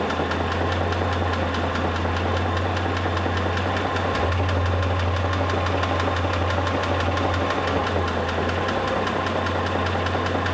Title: Pajero III 6G74 3.5 л GDI - стук двигателя ч.2